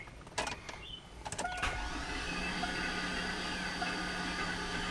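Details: Garage-rebuilt LS engine, cranking on starter with spark plugs out to prime unprimed oil pump on weak battery: a few clicks then fast, even starter whine, no compression pulses.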